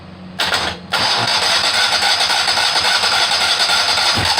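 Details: Kohler Command 18 hp after rebuild, first start attempt with carburetor fed from a funnel since the fuel pump hose is soft and falling apart; starter whirs steadily a few seconds, no firing at all.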